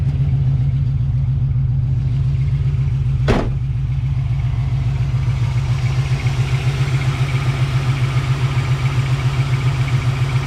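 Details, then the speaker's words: 1980 Chevrolet Camaro Z-28, 350 V8, automatic, headers and dual Magnaflow exhaust, idling after start: deep steady rumble with even pulses, no knocks or misses; runs quiet apart from a slight cricket-like belt squeak. "running motor nice and quiet a little bit of a belt squeak i can hear it sound like a little cricket"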